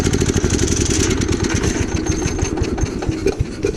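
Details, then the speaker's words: Gravely Commercial 12 34" Snow Cannon snowblower, cold start after about a month unused, on choke: uneven, stumbling chugging instead of a steady idle; owner suspects fuel starvation or ice in the carb bowl. "they don't know what the issue is here but I have a feeling it's fuel related"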